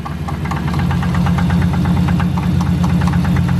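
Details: Dodge Charger SRT8 6.1 at rough idle, engine light on, may stall: loud fairly regular deep knock about three per second; owner thinks something broke, motor possibly done; cause unknown.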